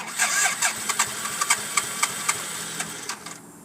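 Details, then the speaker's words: 1991 BMW K75S motorcycle, died after a minute idling on full choke the day before, battery light on: cranking pulses about four per second slow and fade with no firing; cranks but won't start, owner suspects battery. "Sounds like it has a better chance of turning over when the choke is completely closed. Almost starting. Not quite."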